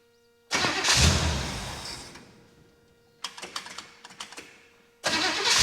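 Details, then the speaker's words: 1964 Chevy Bel Air with 350 small block and Carter AFB carb, new starter and cables: starts, revs briefly, dies within seconds, recranks in short bursts then catches; lopey idle must stay 800–1000 rpm or it stalls. "want to you know like a lopy idol it doesn't want to come down it's got to stay 800 to 1000 RPM or it just stalls out"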